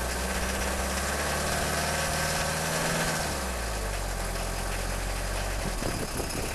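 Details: Peugeot 306 XLtd diesel cold start after a full glow plug cycle, no throttle: struggles to fire, then idles unevenly with an irregular knock and shake about three times a second under the clatter; owner suspects failing injectors, cause unconfirmed.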